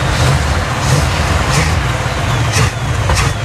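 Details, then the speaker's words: 1968 or 1969 Chevrolet Caprice, transmission fluid low and slipping, running low on gas: heavy deep rumble that wavers and surges unevenly; struggles to idle on its own. "I'm just trying to get her to run and idle by herself."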